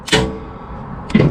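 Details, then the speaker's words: John Deere ride-on mower during repair: sharp metallic clicks with a short ring as 12 volts is connected and removed at the clutch; it locks solid when powered and frees when not, engaging and disengaging normally. "But if I go up here and connect the battery, you hear a click. Hear that? Now the clutch is completely solid. So that's the engagement disengagement."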